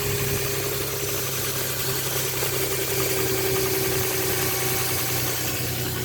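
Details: 2007 Nissan Pathfinder 4.0 V6 with 5-speed automatic: faint steady whine over a cold fast idle, louder as the engine revs, traced by ear to the transmission rather than the engine bay; a transmission fluid change cured it.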